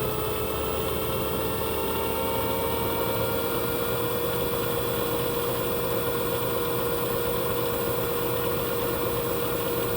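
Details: Washing machine: steady electric motor hum with a constant tonal whine near 500 Hz and no knocking or grinding. The cause of the earlier noise is unclear.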